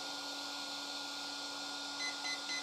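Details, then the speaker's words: RC car ESC being programmed without a program card: the button is held at power-on and the ESC gives three short high beeps over a steady hum, counting up to item three (low-voltage cutoff) before the button is released. "i'm supposed to let go of the program button when i hit item three so when there's three beeps so turning it on still pressing it"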